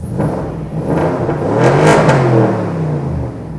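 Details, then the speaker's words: BMW X6M V8 running poorly with massive vacuum leaks: it revs unevenly with a lumpy note and a whirring rise. "it's running but uh not very well yeah that's a BMW running right now of course there's the obvious vacuum leak but then listen to it"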